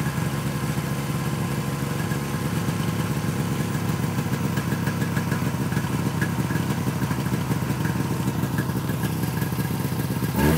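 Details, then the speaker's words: 1971 Arctic Cat Panther, 440 JLO two-stroke, Tillotson carb, after carb adjustment, under load: drones and labours, revs hanging instead of climbing; tired clutch springs upshift too early, bogging. "so what's happening so the clutch springs are so tired on that sled that it just wants the upshift and it can't it doesn't have the power to get it going"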